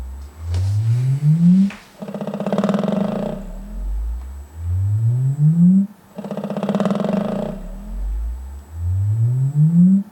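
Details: Velodyne DD-15 subwoofer: repeated rising bass sweeps, with a buzzy rattle riding over the louder low notes, something loose rattling in the sub.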